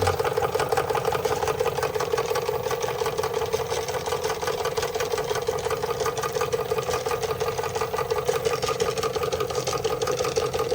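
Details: Märklin 16051 twin-cylinder toy steam engine, still running in, just coming up to steam with the pump recirculating: soft, even chuffs at about three per second over a steady hiss; normal slow "museum speed" run.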